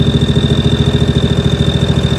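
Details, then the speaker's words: John Deere 757 Z-Track zero-turn mower on 50:1 sprayer shot, new air and safety filters: low, even, weak pulsing idle, earlier sounded like one cylinder; suspected fuel starvation. "Y'all need to get you one of them sprayers. I got 50 to 1 in this one. I think we got a fuel problem."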